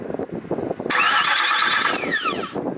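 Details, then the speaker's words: Cadillac DTS: starter whirs and turns engine over under two seconds but never catches; ECM powered but engine won't fire, fuel suspected; crank no start, cause not confirmed. "the starter is connected to the ecm so when you do like this it will turn the engine but she won't she won't do everything else you want"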